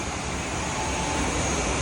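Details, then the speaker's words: Restaurant kitchen exhaust hood, grease filter put back in place: constant rushing, sucking hiss that builds slightly with the fan straining; clogged grease filters restrict airflow, making the fan and PCU work harder; needs full cleaning and PCU filter replacement. "So these filters inside here are clogged. It's making the fan and the PCU work harder than it should."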